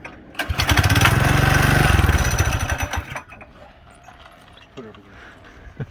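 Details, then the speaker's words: Budget mini bike single-cylinder engine with low compression and homemade muffler: catches for about three seconds with uneven popping firing, then quits; hard starting, cause not pinned down. "it's still a really lacking compression she's gonna fire oh she's burning all right she's stinky"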